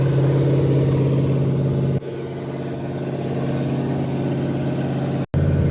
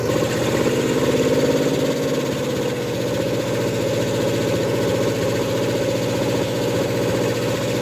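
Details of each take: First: Ford F100 with a 302 V8 and Comp 268H cam during cam break-in, through open pipes: loud, lumpy but steady raised idle with no knocks or ticks. The oil pressure gauge is not working, oil looks milky, and the engine is getting warm. Normal fast idle. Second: Ford F100 with a 302 and a Comp 268H cam during cam break-in: the engine runs steadily with a fast ticking knock of about three or four per second; valve train knock from valves adjusted wrong (incorrect lash), not the lifter first suspected.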